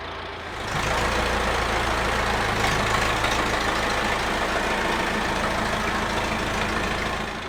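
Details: Massey Ferguson 50HX backhoe loader, 4-cylinder Perkins diesel, hydraulic pump newly connected to engine, backhoe arm cylinders leaking: steady heavy diesel drone at even pace under load, no knocks or pump whine; running normally with hydraulics working.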